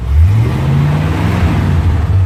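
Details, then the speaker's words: 1957 Chevy convertible V8 with over 250,000 miles, revving with a deep sound that rises and settles cleanly. The exhaust manifold leak, which made a clack-clack at idle, now seems sealed, with no ticking or puffing from the exhaust. "I think it's I think it's sealed up [Music] because even at idle before you hear that clack clack clack in the exhaust"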